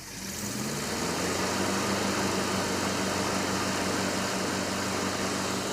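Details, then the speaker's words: '69 Dodge Charger Daytona clone, 383 V8, ballast resistor with no cranking bypass, only about two volts to the coil: fires within a second and settles to a steady, even low rumble; normal start and idle. "Oh man. Ah, it's so nice to hear it running great again right now. Woo! I'm glad it started with the balanced resistor."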